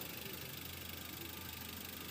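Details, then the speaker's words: 2004 Toyota Avanza 1.3 G manual petrol, about 20 years old, heard close at the engine bay: steady, even idle with a soft regular pulse, no knocks or ticks; engine running smooth and normal. "Dan untuk suaranya masih halus. Nih, kita coba dengarkan lebih dekat lagi ya. Masih berjalan dengan normal."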